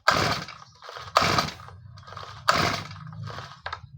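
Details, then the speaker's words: Small two-stroke grass trimmer that won't start after its kill wire was shorted to stop it; oil present, fuel on, switch on, choke pulled: repeated starter pulls give only hissy bursts, air hissing out around the top after cover removed; cause suspected. "มันเหมือนมันมีลมฟิออกบริเวณรอบนอกหลังจากที่เราถอดฝาครอบอ่าตัวบนออกมานะครับทุกท่าน"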